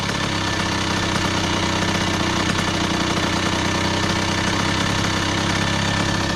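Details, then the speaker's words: 2001 Honda CR80 two-stroke, previously knocking, just after adjusting the idle screw: fast, crisp idle holding steady and even with no knock heard; healthy soft idle. "yeah that's definitely it a nice soft Idol you know what I'm saying"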